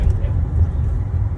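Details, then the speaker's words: Dongfeng Nissan Sylphy 1.6 after replacing the alternator one-way clutch pulley, previously making a belt-area noise on steep climbs with A/C on: a steady deep drone pulling up a slope with A/C on, with no rattle under heavy load; repair confirmed. "现在到这个坡上面来测试这个异响，看看有没有。空调也是打开的，半坡起步。负荷大的时候，不会再有那个嘎嘎嘎嘎嘎的那响"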